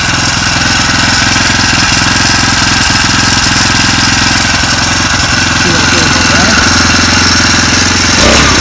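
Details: First start of a 49cc four-stroke engine kit fitted on a bike; quick, regular little-engine putter picking up as the throttle opens, no knocks or misfires: normal running.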